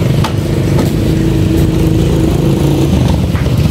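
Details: Honda XRM 125 motorcycle two days after an engine overhaul: a loud, steady engine drone with faint, irregular sharp ticks on top. Knocking inside the engine, cause not yet known.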